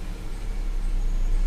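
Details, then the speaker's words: Mercedes CLA 200 at idle with the check engine light flashing: rough low idle with rpm swelling and sagging, engine shaking and misfiring. "देखिए कम ज्यादा हो रहा है देखिए engine जर कर रहा है"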